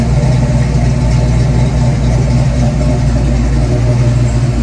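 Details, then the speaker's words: 1991 Ford Mustang GT hatchback V8 after an ECU change, now warmed up: steady low idle with an even beat and slight hang, no surging; the erratic cold idle surge has calmed, cause still undetermined. "All right, so after messing with it for a little while, I finally got to warm up a little bit, and the idle surge kind of calmed down, because this thing kind of just goes really erratic when it's cold."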